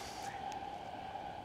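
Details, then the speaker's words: Auckland Eastern Line train near Ōrākei station accelerating onto the causeway over newly renewed rail, sleepers and ballast: traction motor sound gives way to a clear, steady, rising ring like a finger on glass; consistent rail ringing from new track. "So this train is accelerating away nicely, here we can hear the sounds of the actual vehicle moving away and the traction motors, and as it moves now up to the causeway we now switch to ringing, so that transitions then into the sound of rail noise, which is more"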